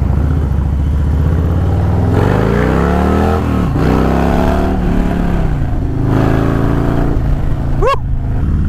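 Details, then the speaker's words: Harley-Davidson FXLRST Low Rider ST, Stage 2 117 ci V-twin with Star Racing 30/30 cam, ridden the day after a Power Vision dyno tune: pulls cleanly through rising revs and falls off smoothly, no popping or stumbling; greatly improved, well-tuned. "taking it out for a ride so you can hear it really really greatly improved"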